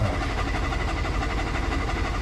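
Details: 2017 Hyundai Tucson 1.6L turbo, first start after replacing a cracked, leaking fuel sending unit: uneven low churning as the engine struggles to fire and won't settle into steady idle; hard, rough start.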